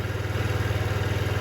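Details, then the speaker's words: 2007 Diamo Retro 50 GY6 scooter with a new intake tube, idling after a starting-fluid start; fuel is flowing, and owner wonders about air intake or valves. Smooth low putter, even pulses around twelve a second, no misses or rattles. Normal idle. "And she's continuing to run, so we know fuel delivery is not the issue. See, that's all full. Our fuel is flowing."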